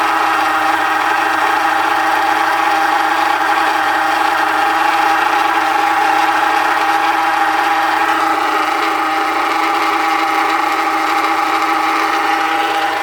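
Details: Haval (Hover) H3: steady engine run with a constant mid-pitched hum riding over it; owner suspects the power steering pump whining, not confirmed.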